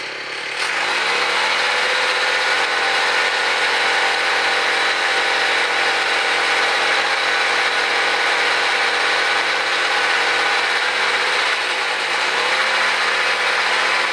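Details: Gas-powered mobility scooter with small engine, first start after input shaft repair, no wheels fitted yet, new chain and sprocket; engine buzzes at a steady, even idle with no misses, knocks or hunting; normal idle.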